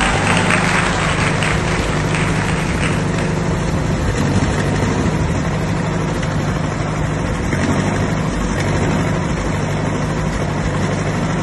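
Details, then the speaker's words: 1959 Massey Ferguson 85 tractor, not run in 5 years, after new points, cleaned carburetor and new solenoid: steady even low rumble with regular beat, no misses or knocks; normal running. "Ferguson, 85. Just started up in 5 years."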